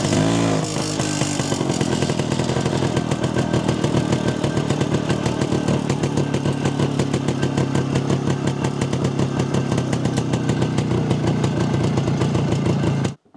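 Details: Jawa 250 two-stroke after engine rebuild (had smoked heavily after dyno): crisp, even beat holding steady with no misses or surging; carburettor retuned with self-drilled ~0.66 idle jet and 95 main jet, running clean and well adjusted.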